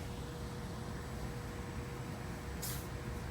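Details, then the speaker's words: Newly installed Trane 100,000 BTU modulating natural-gas furnace, converted from oil heat, running with a steady, even low rumble and faint constant tone, no knocks or surging, putting out good heat. "It's running and putting out good heat. And they are happy."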